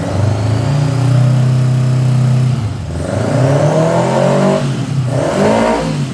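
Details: 1979 Honda GL1000 Goldwing, first start after carburetor rebuild: uneven revving that surges and stumbles, never running cleanly, smoking from one side. Owner suspects carbon burning off or bad seals fouling plugs; not confirmed.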